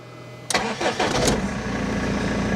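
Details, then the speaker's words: BMW E46 3 Series after pre-supply fuel pump replacement, with earlier long cranking and random cutting out: brief crank and it catches at once, settling into a steady even idle; normal start. "Fires up straight away now. We've been here before though. We think that we fixed the issue, and you know, we don't have any of the symptoms, you know, no long cranking."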